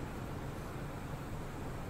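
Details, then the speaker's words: Deepcool LT720 AIO radiator fans swapped for Arctic fans on Intel i5-13600KF PC in 3RSYS L600 case, ~4 minutes into Cinebench 100% load: only soft even airy hush with faint low hum, no droning or rattle; normal quiet fan operation under load. "Mặc dù tôi đang cho Cinebench tải 100% ngay bây giờ im lặng Đối với những người sử dụng LT720 Nếu bạn thay thế nó bằng một chiếc quạt bắc cực theo cách này, Bạn có thể gặp một thế giới khác"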